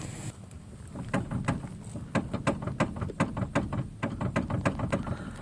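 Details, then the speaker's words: Chrysler Sebring front end, engine off, wheel shaken hard by hand: sharp irregular clunks three or four a second from worn inner tie rods; inner and outer tie rods replaced. "if I shake the wheel real hard hear that there's something in there that's really causing that to make a lot of"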